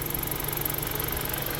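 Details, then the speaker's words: Car idling after a repair, no overheating or coolant leaks seen: quiet, steady idle with a soft even hum and no tapping, grinding or hunting; normal idle. "I think everything's going to be good no overheating no nothing like that"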